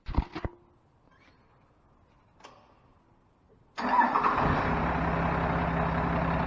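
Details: 1996 Dodge Ram 3500 with a 5.9 Cummins 12-valve and P7100 pump, after installing 7mm delivery valves, cranking to bleed the injector lines and tightening them: silence, then it catches and settles into a steady, even idle with no misses, fuel delivered properly.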